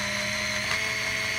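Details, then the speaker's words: Olympus Infinity Stylus Zoom 140 35mm camera in rewind mode after finishing the roll, lens retracted and flash down: steady high-pitched motor whine without stutter as film winds fully into the cartridge; normal rewind. "The lens retracts, the flash goes down, we hear the motor running if we were to look at the display on the top."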